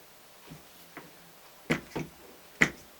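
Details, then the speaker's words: McAllister lawnmower self-drive gearbox, second gearbox fitted, engine off, wheels on the ground turned by hand under resistance: sharp irregular clicks, about five in three seconds; gearbox slips and clicks instead of driving. "so as you can imagine when it tries to self-propel itself along the ground that's all that happens but with the engine running you cannot hear that clicking and that is what's wrong with the gearbox"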